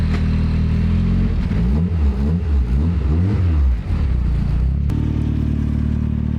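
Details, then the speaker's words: Turbo Miata drift car idling after exhaust work, still pretty loud; loud steady low idle with a brief rise and fall of revs then settling evenly, sounds pretty healthy — normal idle. "She sounds pretty healthy. Put the mic on it. So that's good."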